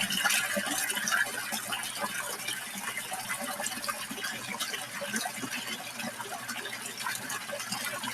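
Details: Drummond 63319 utility pump after cleaning clay from the impeller and reinstalling with upgraded prefilter bag: steady splashing gushing water with no surging, sputtering or rattle; pump moving water freely.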